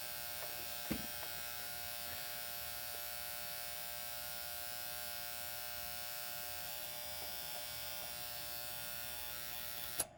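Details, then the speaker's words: AC condenser unit switched on from thermostat, potential warranty call: steady electrical buzz with mains-hum edge and no rhythm from a loose, cheap single-pole relay/contactor; replaced with a 40 A single-pole contactor. "okay so it's just a little relay buzz that little cap some of them they come loose that's kind of a cheap part anyway"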